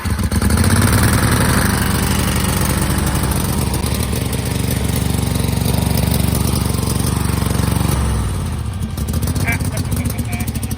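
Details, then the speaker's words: Kohler V-twin garden tractor that sat about a year, fuel flushed, borrowed weak starter, jumped at the solenoid with a 1,000 cranking-amp battery, flywheel bolt sheared: chugs steadily after starting, slightly uneven, no knocks or grinding; running normally again. "1,000 cranking amps is a lot. That sounds better."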